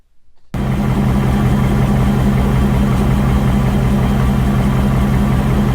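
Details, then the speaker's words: 2019 Ford Mustang GT, 7400 miles, right after oil change, oil level checked good, no codes: loud idle with clanky ticking getting louder with rpm, constant; suspected cylinder one scoring, not confirmed. "tick tick tick tick tick tick tick and it just kind of randomly does it when he raises his rpms"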